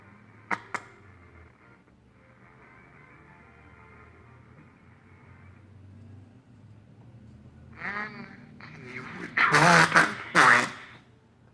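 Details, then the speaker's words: 1938 General Electric G61 three-band tabletop tube radio: faint hum, then station audio sounding harsh and buzzy; distorted output from damaged speaker, receiver section working. "you can hear that course it sounds like complete crap but suppose the speaker's poppin"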